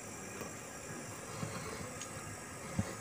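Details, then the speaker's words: NASA echo mic preamplifier kit, volume turned up: steady even hiss with no hum or crackle constantly under everything; the hum was gone after fixing the grounding, but the kit's inherent hiss remains. "kekurangannya yaitu desis ini masih terdengar desis teman-teman ya"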